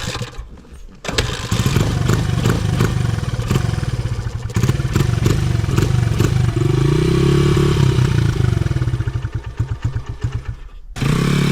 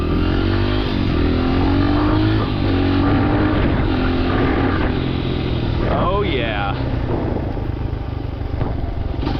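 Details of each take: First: 2011 Honda CRF100 dirt bike, carburetor not yet tuned: engine runs only on repeated throttle blips, revs sagging and stumbling between, won't settle to steady idle; will not hold idle, carb tuning needed. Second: 2011 Honda CRF100 that would not idle, warm, after air screw adjustment: single cylinder ticks over evenly with steady unbroken beat, no dying or hunting; idle fixed.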